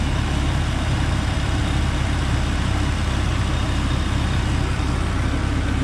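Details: Sonoma with a blown head gasket, idling after half a bottle of CRC head gasket repair was added to the radiator with water and no antifreeze, not yet warm: low, lumpy idle with irregular misses and slightly colored smoke from the exhaust.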